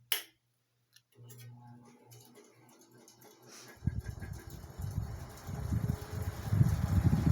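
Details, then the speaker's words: 1979 Cirrus 70 cm metal pedestal fan (150 W, 110 V, 4 µF capacitor) switched to maximum speed: a rising low whooshing rumble with faint ticking. A little running noise, but it moves air very well; the speed switch has a bad contact. "Já na máxima ele faz aí um pouquinho do ruído. Porém ele venta super bem."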